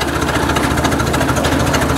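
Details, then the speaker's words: Ford 800 tractor after electronic ignition replaced points and condenser, plow on back, second gear uphill at just under 600 rpm: slow, even chuffing, no misses or stumbles. Normal lugging at low rpm. "we are in uh currently second gear here going up a bit of a hill here wow we're doing like just under 600 rpm i think"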